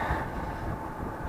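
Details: Atwood RV heater after cleaning and blower motor rebuild (brushes reinstalled), on a weak battery: smooth steady airflow rumble with no squeal; previously squealed 5–10 minutes at startup until warm, now normal.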